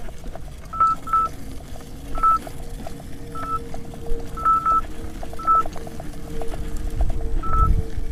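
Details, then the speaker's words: 84 V Nikola electric unicycle on a tough climb, board 41–45 °C: sharp high beeps in short uneven bursts, the 90 A overcurrent alarm warning of excessive current draw. MOSFETs later blew on Overheat Hill. "okay first Hill first Hill done it's a little disconcerting you all the ampere alarms going off compared to what I'm used to let's just hope the electronics can handle it"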